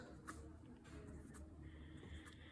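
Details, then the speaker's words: Honda Zoomer front wheel after new wheel bearings, wheel hand-spun: only a faint low hum and light clicks, no grinding or rumble; bearings smooth and quiet. "not a sound i think it likes its new bearings"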